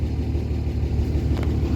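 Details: Diesel truck with brand-new 50-over-tip injectors, idling with heavy smoke: a low, lumpy, uneven rumble from an injector stuck open. In a cylinder contribution test, disabling cylinders 2 and 4 made the biggest difference; a new injector was bought.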